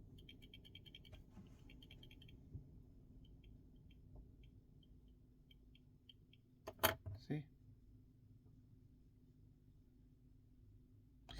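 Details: Samsung S24 Ultra rear camera module shaken by hand: faint, quick clusters of tiny metallic clicks from the optical stabilizer, louder than on a new module and also noticeable in video recording; the camera is faulty and was replaced.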